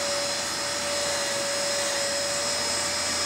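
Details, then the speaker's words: Very old desktop PC with CD/DVD drive, before cleaning, while the system loads; loud constant airy roar with a steady tone on top, cooling struggling because the case is packed with dust; dust-clogged cooling fan. "il doit pas supporter le pauvre il y a tellement de poussière"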